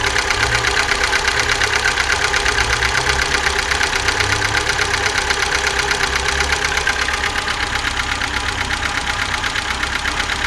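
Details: 2005 VAZ 2107 fuel-injected, formerly quiet engine, now at idle: fast, even light ticking about two per second over steady idle, top-end rattle; owner suspects valves, worn or slack timing chain, or camshaft; unconfirmed.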